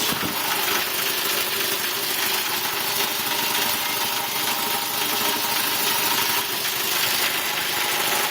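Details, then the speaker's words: Quincy 220 V air compressor running again after a blown 30 A fuse was found open and replaced, not run for a while; steady roar with a faint slight belt squeal underneath. "Tell she hasn't run for a little while. I can hear the belts kind of squealing a little bit in the background. That's how they've been gripping, but beautiful."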